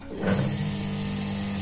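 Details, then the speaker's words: Water pump with impeller adjusted and bolts tightened, plugged in before fitting the front cover: motor spins up quickly to a smooth steady hum with no scraping; impeller turns freely, no rubbing on the volute housing. "nah dan impernya nah dan impernya aman tidak ada gesekan dengan bagian keongan ini bisa langsung dipasang untuk bagian tutup depannya"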